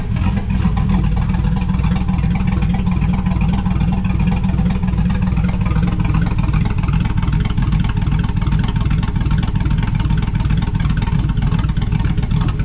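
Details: 2005/2006 GMC Sierra 5.3 LS after lifter failure repair with BTR Truck Norris cam and LS7 lifters, untuned; steady lumpy V8 idle, firm low rumble, no valvetrain ticking or knocking, sounds healthy.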